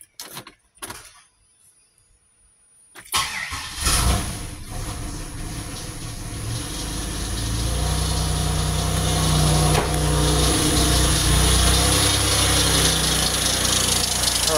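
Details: 2006 Grand Prix after engine swap, exhaust crossover resealed with RTV: quiet clicks, then cranks, catches and settles to a steady even idle with no ticking or puffing; exhaust leak gone, though alternator suspected of making noise.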